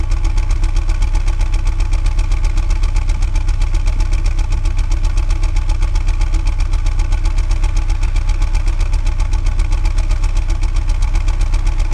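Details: 2001 BMW E46 at idle: a heavy, even low thump about four times a second dominates; owner suspects a bad piston, cause not confirmed.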